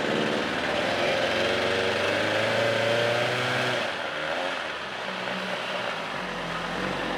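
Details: 1975 Johnson 25 HP outboard running after almost four seasons unused, taken to wide open throttle; it now idles better in gear. Buzzy high-rev run held steady for a few seconds, then revs drop off; still slightly uneven, cause not pinned down.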